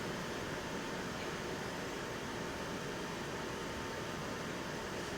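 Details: HP DV9000 laptop cooling fan switched into modded 100% high-speed mode to cool the Nvidia GPU and CPU: steady airy rush with faint constant whine, louder than low setting, no rattle or grinding; healthy at full speed.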